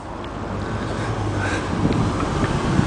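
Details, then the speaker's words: 1995 Ford handicap bus with 5.8 L gas engine at idle: steady low rumble with no knocks or misses under some wind noise, air conditioner compressor heard engaging; normal idle. "it's a 5.8 L motor sounds good can hear the air conditioner compressor engaging again that's a good sign"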